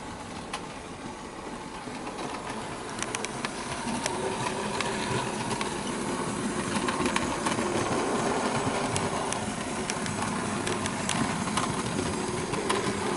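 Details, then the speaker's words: Bachmann OO gauge SE&CR C Class 0-6-0 steam locomotive, straight from the box: light, even motor whirr with fast track ticking, running smoothly without stutter. "as you can see she runs smoothly which is how we expect these mods to run when they're open straight from the box and that's quite smooth that is like cutting a knife through the butter"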